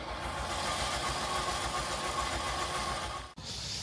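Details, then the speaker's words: Car jump-started on a flat battery: fast, even crank spinning too freely with no compression beat and no firing; pieces of timing belt found below, belt gone; snapped timing belt. "So, what I think has happened, let me just show you. Can you see all bits of timing belt down there? Yeah, not quite see it on camera, but that timing belt is gone."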